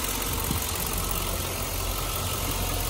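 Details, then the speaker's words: Chevrolet Suburban Z71 5.3 V8, two-wheel drive, about 141,000 miles, Copart listing citing mechanical damage (transmission slipping suspected): smooth, even low idle rumble, no knocking or ticking. Normal idle. "i guess that's like the emergency motor sounds good this is the 5.3 don't know"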